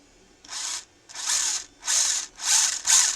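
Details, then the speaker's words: Eachine EAT15 1:16 RC rally car with seller "upgrades", after cleaning gunk, adding more grease to the diffs and reducing zip-tie rubbing. Throttle blips still give high, gritty whirring bursts, maybe slightly quieter; gear noise cause not found. "it might be slightly quieter I'm not sure but I cleared out a lot of the gunk there is a lot more uh grease in the diffs than there was before"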